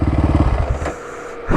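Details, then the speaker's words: Can-Am DS quad after repair, test ride, no check engine light, not overheating, shifts through all gears, fan working, about 40 degrees out; even steady thumping idle that settles and picks up cleanly, no rattles; normal idle. "So far, I mean, no check engine light. Everything seems to be running right."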